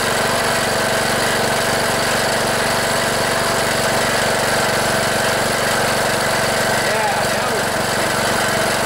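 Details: Cub Cadet LT1018 riding mower, 18.5 hp Briggs & Stratton Intek OHV single, after replacing a fouled spark plug and using a little starting fluid: a steady, even drone at constant speed with no misses or sputtering; running normally.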